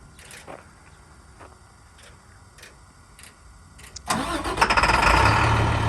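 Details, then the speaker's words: 2014 International 4300 DuraStar, MaxxForce DT 466 7.6 L turbo diesel, 293,000 miles, Allison automatic: quiet, then fires at once and settles straight into an even, steady rumbling idle; healthy start. "It starts right up, sounds great. You can hear that now."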